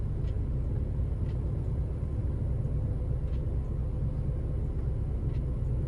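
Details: 2006 Ford Focus petrol engine after replacing the bad cylinder 3 ignition coil (P0303 misfire): a steady, even low rumble with no stumbles or shakes, now running smoothly.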